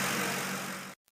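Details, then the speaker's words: Ford 5.4L 3-valve V8 after cam phaser replacement to cure a phaser knocking noise: a brief, steady, even idle hum with no knock, rough idle or misfire. Sounds like a new engine. "it should come out like this sounding like a brand new engine and no rough idle no check engine lights and running perfectly smooth like this"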